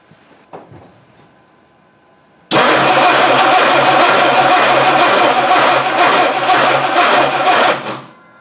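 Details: 1960 Dodge Dart Seneca with newly installed engine after over 10 years in storage, no choke, primed: about five seconds of brisk even cranking with no firing, then silence; no power at the coil.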